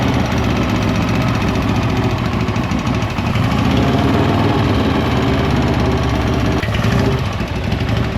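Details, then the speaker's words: 1956 Harley-Davidson FLH Panhead after fresh top-end rebuild, running with a wire reconnected; loping twin idle holds steady with light valve-train clatter and the earlier ringing ding gone; has compression, valve adjustment to be rechecked. "Yeah, does the valve train sound louder? Now we could hear the valves."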